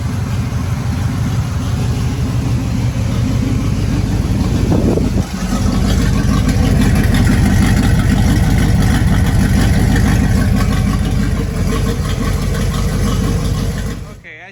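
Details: Third-gen Trans Am after a header install, on the open Y pipe with bolts tightened: a steady, deep V8 rumble that rises briefly with a blip, with no ticking or puffing from exhaust leaks. Normal idle.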